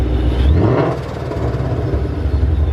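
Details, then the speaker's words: Boosted Coyote-swapped Mustang on fresh tune: deep rumble with rising whistle, then fluttering chatter on throttle lift; compressor surge because the blow-off valve is broken and not venting, needs replacing. "we will be needing to grab or buy a blowoff valve as well cuz this is not good so if you guys were ever wondering what a broken blowoff valve sounds"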